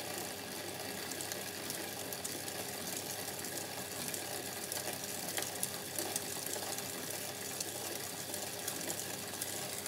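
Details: Bicycle chain running in a wear test after wet contamination (500 ml water and sandy loam sprayed at 50 psi): steady gritty rasp and fine crackle, no knock rhythm; chain grinding on wet grit.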